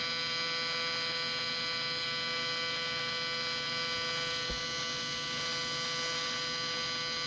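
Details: Miller Dynasty 300DX AC TIG welding aluminum, beginner practice run: steady, even electrical buzz with no crackle or breaks; stable normal AC TIG arc.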